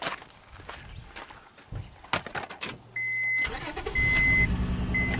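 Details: 2003 Honda Odyssey V6 with a recurring misfire, catalytic converter seen glowing red-hot: engine cranks and catches, then idles with an uneven stumbling beat; a coil-swap test points to a dead ignition coil, further damage still unconfirmed.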